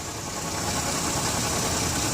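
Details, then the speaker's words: 2007 Chevrolet Uplander wheelchair van, 3.9 V6, 208,531 miles, new battery, no warning lights, idling under hood: steady even hum, no ticks, knocks or squeals, no leaks up top; normal smooth idle. "As you can see, no signs of any leaks up top. I don't hear any unusual noises, unusual squeaks. The van idles smoothly."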